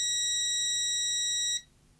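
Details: Parkside PDM 300 C3 autoranging multimeter continuity test with the leads shorted together: a clean, steady high-pitched tone for about a second and a half that stops sharply when the leads part; the continuity buzzer works properly.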